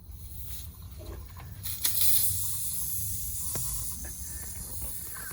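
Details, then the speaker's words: Skoolie bus air brake system: a steady, sharp hiss of escaping air over a low idle rumble. An audible air brake leak, which under DOT rules means out of service; the owner considers capping the line with tubing. "my dot rules if you can hear an audible leak your d.o.t out of service"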